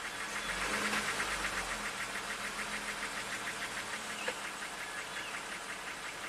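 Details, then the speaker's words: 2019 Jeep Wrangler Rubicon Pentastar V6, about 71-72k miles, P0300 only and a flashing check-engine light; in gear, the idle turns rough with a rhythmic knock about four times a second and stumbles, whole Jeep shaking. Misfire cause not yet pinpointed. "If we put in gear. Oh, yep. There he goes. Running a little rough."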